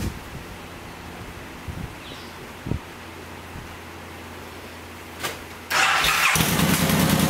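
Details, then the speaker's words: 2006 Suzuki Boulevard M109R (VZR1800), 19,641 miles, front-end crash with no engine damage, started via the starter solenoid: the starter catches quickly and the big twin settles into a loud, even, lumpy idle with no knocks or misses; healthy engine. "other than that the bike seems to just run and run and operate just fine we're going to start it up let it idle and then put it through all of its gears so you can see it for"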